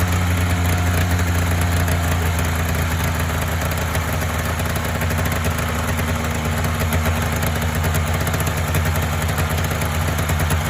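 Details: Polaris Indy 500 two-up twin-cylinder two-stroke snowmobile, previously overheated with head gasket failure, coolant intrusion and no compression on one cylinder; first start after used-parts top-end rebuild and fuel system work: deep, steady idle, firing smoothly on both cylinders, no stumbling.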